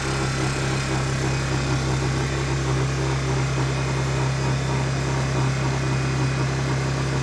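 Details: Honda EU1000i inverter generator, a used, possibly older model, running with a steady even hum and no surges or misses after old fuel was dumped, started without choke before servicing; normal running.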